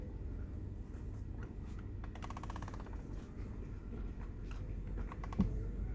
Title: Mazda3 2010 - weird noise coming from the steering wheel